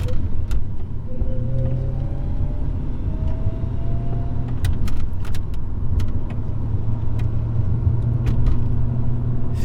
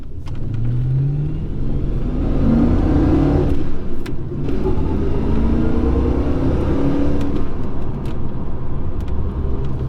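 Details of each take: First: HSV VS Clubsport on the road after a secondhand diff was fitted for a rear-end vibration and noise; a steady low rumble with no clunk, whine or grinding, only slight vibration left; normal driveline. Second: HSV VS Clubsport while driving: low droning hum and vibration from the rear end, rising and falling with road speed. Axles were swapped first; the differential was suspected and its replacement fixed it.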